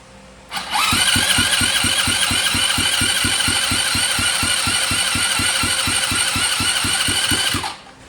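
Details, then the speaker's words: 2007 Dazon Raider 150cc GY6 go-kart cranking: even compression pulses, no firing despite good spark, strong compression and starting fluid; weak intake pull, owner wonders about an intake boot leak. "it cranks over it's got It's got compression you know it sucks and blows the thumb really really strong and then spray starting fluid right down the throat and it does not sound at all like it wants to do anything"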